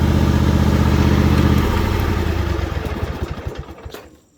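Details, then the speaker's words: John Deere GT245 lawn tractor, 20 hp Kawasaki V-twin, 621 hours, warm, after tapping fixed through routine oil maintenance: even, steady low putter with no metallic tapping, then winds down smoothly; quiet and healthy. "I never let it get black and all nasty, but she's really quiet now, metallic noise wise. So that's a good thing."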